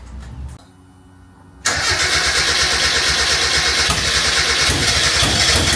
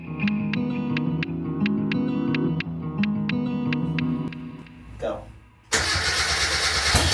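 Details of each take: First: 1991 Japanese-import Mazda MX5 1.6 with a rebuilt engine, after the no-fuel issue was fixed: a short crank, then it fires cleanly into a steady even rumble. It gets fuel and starts fine; the starter may be sticking. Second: Mk1 Mazda MX-5 drift car, engine rebuilt after nearly 3 years off the road, first start: it cranks, catches, and runs rough and lumpy with an uneven beat. It is misfiring, and there is a known gasket leak.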